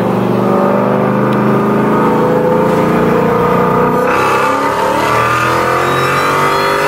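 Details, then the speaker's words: 2016 Mustang GT with a Whipple supercharger and Stage 2 whine mod kit, hard acceleration with the windows up: a clear high whine climbs in pitch with revs over the V8 roar, arriving at higher RPM. Normal supercharger whine. "so obviously with the windows up it comes in at a much higher RPM but nonetheless it's there dude it's definitely noticeable"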